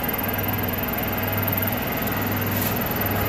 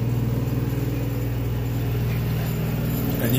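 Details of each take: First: Otis elevator motor, replaced around Christmas and aligned, with brass oil-ring running dry and low oil: after adding non-detergent 30-weight oil on the ring, even steady low hum with no scraping while the car runs to floor six; another machine also running nearby. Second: Recently replaced elevator motor losing oil despite alignment: steady low hum with a rough, even pulsing about four times a second, sounding horrible; the brass oil ring that lubricates the bearing is running dry, and oil is to be added on top of the ring.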